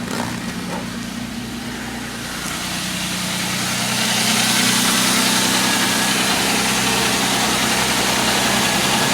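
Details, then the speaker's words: 2001 Jaguar X-Type 2.5 V6 petrol manual idling normally right after a starter motor replacement. It settles into a smooth, even idle with a steady hum and fan hiss, no knocks or misses. "There's always that worry that you do it and it goes and you haven't set it up properly. That sounds like it's running really nicely."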